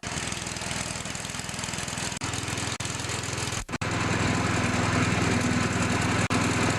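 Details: Old MTD snowblower after replacing belts (auger belt 754-0282), test run before refitting belt covers: steady, even single-cylinder putter at constant speed, no knocks, slipping or squeal; auger turns, engine runs healthy.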